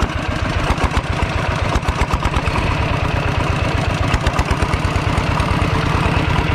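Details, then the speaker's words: Used Kubota ET95 single-cylinder diesel tractor engine, described as somewhat hard to start and now running soft: steady, even chug at idle with a regular low thump, no knocks or misses; normal healthy idle. "ตอนนี้ก็ดังนิ่มนะครับ"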